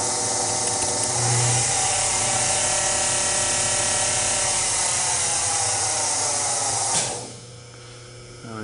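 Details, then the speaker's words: Acroloc CNC mill being retrofitted to Mach 3, original Gettys spindle on original Gettys speed control driven by step and direction from the VFD on a C11 breakout board, belt-driven, two-speed: steady high even whine, smooth, no knocks or grinding, spins down cleanly; normal spindle run. "the original gettys spindle uh hooked up right now with the original uh getty speed control it does work using the step and direction settings in the vfd on the c11 breakout board as you can hear it"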